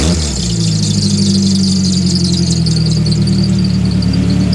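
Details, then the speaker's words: £300 scrap car (wagon) on a two-day UK road trip: constant piercing high-pitched squeal over a steady idle, noises getting worse; cause not yet found. "But when we got to the wagon, it decided to get back at us for dragging it on this road trip. What? And the noises were just getting worse."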